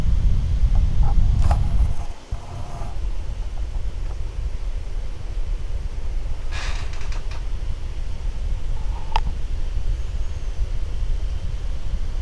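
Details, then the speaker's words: A1398 MacBook Pro fan after dust cleaning, under Prime95 load: even, constant airflow hiss at high speed with no rattle or ticking; dust-caused noise gone, healthy fan working hard. "so yeah so yeah that's the uh that's the kind of typical noise you'd expect just a just a fan running at high speed and just airflow um yeah no rattling noise at all"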